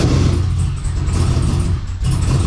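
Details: LQ4 408ci stroker Trans Am, stage 3 turbo cam: catches but runs ragged, lumpy, nearly dying, misfiring badly; P0200 injector harness code, driver-side injectors not firing, running on four cylinders.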